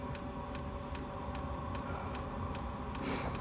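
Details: Chinese diesel heater: crisp, even ticks about every two-thirds of a second over the fan hum; dosing pump clicking normally through start-up.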